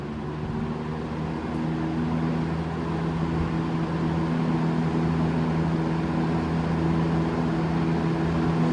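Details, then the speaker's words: Vintage 1966-67 GE F12 W22 fan (3 amp) after servicing, running on medium: smooth, steady hum with an even whoosh of air and no rattles, ticks or grinding; healthy and powerful. "But regardless, let's step it up to medium and you'll hear what I mean by medium, high, and turbo."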